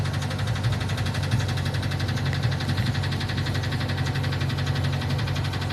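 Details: Ford engine at idle: a heavy, steady low rumble with a fast, loud knock through it, described as a very loud rod knock; the bottom-end cause is suspected, not confirmed.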